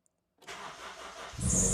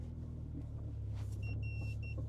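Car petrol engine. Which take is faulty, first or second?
first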